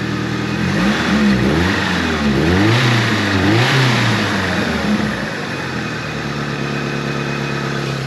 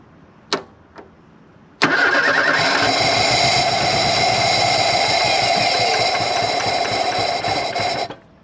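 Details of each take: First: 1983 Ford Thunderbird Turbo Coupe, 2.3 L turbo, 5-speed, unrun for 20 years, after a fix attempt (a bad injector was suspected): revs up and down cleanly, then a steady, even idle, running much better. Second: 1983 Ford Thunderbird Turbo Coupe, 2.3 L turbo, unrun for 20 years, hot day, brake cleaner sprayed: starter spins the engine freely for about six seconds but it never catches; no fuel pressure, fuel pump issue.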